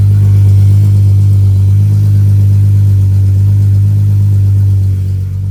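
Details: Deep, steady, even running note with no misses, knocks or hiss from the VR6 in a swapped 1984 Volkswagen Rabbit GTI after a fuel system rework; first start, no fuel leaks, runs healthy.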